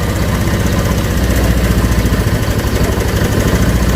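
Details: Honda Vario 125 cold start, compression restored by decarbonizing and throttle body cleaned: loud, lumpy idle with pulses swelling and sagging, nearly stalling; cold engine won't hold idle, normal after about 3 minutes warm-up; ECU reading suspected, unconfirmed.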